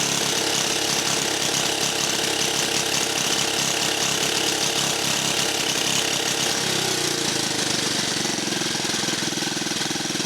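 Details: Rare 1950 REO small engine, just revived, air cleaner removed: loud chuffing beat at two or three pulses a second, then slows to a lower idle as adjusted; running steadily.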